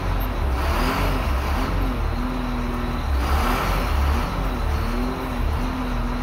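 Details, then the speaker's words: Road grader diesel driving an axial piston variable-displacement pump with pressure compensator (max 3375 psi): when given flow and pressure, the engine drone pulls down slightly under load and recovers evenly with no knocks; normal engine under hydraulic load. "in contrast if i give some flow and pressure and now you hear the engine working"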